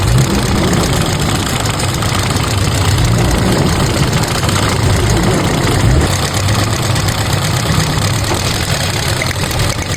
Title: Engine misfire issue best tip #car#missfire #tipsyoutube ￼